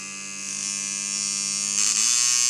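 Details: Dan Kubin Sidewinder V3R tattoo machine with rubber bands on, run at about 5–7 V before the fix: a steady high buzz suddenly jumps in speed and pitch. Inconsistent speed.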